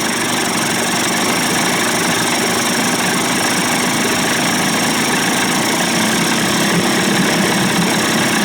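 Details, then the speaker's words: Johnson Evinrude 25-to-35 hp two-stroke outboard conversion, after fuel pump/bypass cover swap; primer bulb had emptied, loose mounting screws tightened, no leak: idle slightly uneven and labouring, seems to struggle a little, cause unclear; idle later raised. "pumping her up nice and tight no leak sounds like she might be struggling a little bit for some reason"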